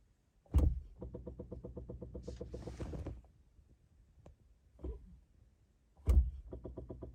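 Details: 2017 Chevy Bolt, at delivery within warranty: bursts of quick, even clicking about seven a second, starting with a thump and stopping after a couple of seconds, from the brake booster; repetitive clicking.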